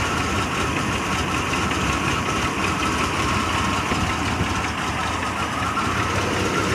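Engine idling with an uneven, lumpy beat and some shake underneath instead of a smooth steady run; rough idle, cause not yet found.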